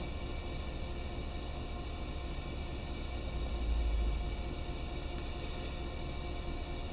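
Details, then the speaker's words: Vintage Tilley paraffin pressure lamp, restored after arriving in pieces, lit after preheating the vaporizer and about 40 pumps: a steady, even roaring hiss with no sputtering or popping, the lamp burning cleanly and normally. "Hey, we have blast off, and I can hear it hissing away like a good one."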